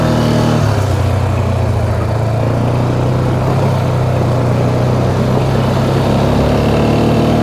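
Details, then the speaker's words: 2009 Polaris Sportsman XP 550 on a test drive after the clutch shifting problem was fixed: a smooth, steady engine drone with no bogging or belt pull. Normal CVT drive. "Feels smooth, let off. No weird engine sounds, not trying to bog the engine down and pull the belt tight."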